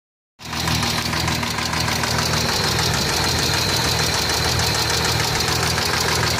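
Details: Hyundai Tiburon V6 idling with a steady, fairly quick knock through its even hum; owner wonders if it's the valves.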